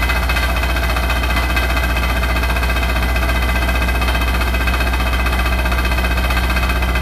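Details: Hotpoint NSWR843C washing machine on its final 1200rpm spin: a hard, constant roar with a fast rattle of roughly four beats a second throughout; loud rattling, cause not pinned down.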